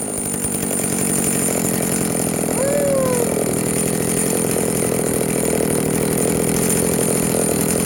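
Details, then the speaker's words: Vintage Jonsereds 70E chainsaw, bought cheaply, after a major clean-up and a gamble on an unknown cooling fan; owner thinks it is low-hour. Steady, high, buzzing two-stroke drone holding an even pitch without stumbling, smoking from oil put down the cylinder. Runs smoothly. "she's a runner she's smoking because I put some oil down the cylinder when I first got it wow that is awesome she is a runner"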